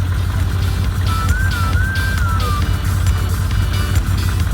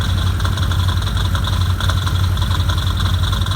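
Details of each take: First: 2015 Can-Am Commander at idle after fixing a loose clutch that rattled near the driver-side airbox, nut refitted with blue thread lock: steady, deep idle with no rattle, under background music. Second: 2015 Can-Am Commander idling: loose metallic rattle over low rumble from driver's side near airbox, worse at idle, fading with throttle and higher rpm; cause was all six primary clutch bolts loose.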